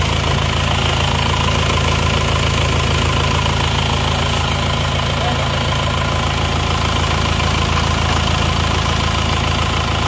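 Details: Isuzu Panther diesel brought in for heavy blow-by, after repair, engine warm at 73°C after a drive: even, smooth diesel idle with no knocks or misses, no dipstick smoke, sounds like new; normal idle.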